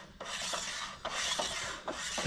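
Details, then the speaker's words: Clutch on Oliver 1650 tractor after reinstall, turned by hand: slow dry rasping rubs in bursts, even friction with no catching once splines lined up; sounds better than before, clutch seated properly, normal friction. "When everything's lined up, it sounds better. And we have friction."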